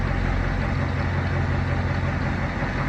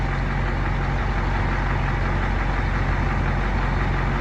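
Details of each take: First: Fire truck Caterpillar 3208 turbo diesel, sat almost a year, just started on new batteries with alternator disconnected (alternator blamed for wiring short); steady even low diesel idle, no knocks or misses; normal idle. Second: Fire truck with a Caterpillar 3208 turbo diesel, restarted after sitting almost a year, idling with a constant airy hiss over the rumble; an air brake leak near a brake valve that needs taking apart and fixing.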